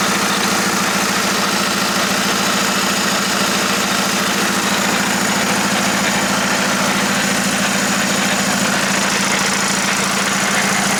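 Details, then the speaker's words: Jetta SportWagen gearbox after full DIY teardown and reassembly for a 4motion conversion: steady droning hum with rough uneven churn over the running drivetrain; rebuilt transmission sounds unhealthy, cause unclear. "completely taken apart the transmission put it back together and as you guys probably heard it doesn't sound very good or very healthy so i'm a little bit disappointed in myself"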